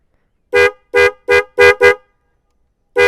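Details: Yamaha Vixion motorcycle with two Denso snail horns newly fitted through a 30 A 12 V relay and fuse: six loud, clean two-tone blasts of about a third of a second each, all equally strong; both horns sound properly together.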